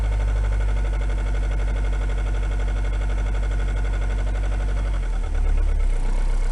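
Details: Renault 21 turbo diesel at 180,457 km: coarse, uneven clatter of about four knocks a second over the engine that shifts with revs, present on acceleration for 2 years, audible inside the cabin; rocker adjustment done, not a conrod or bearing; unresolved.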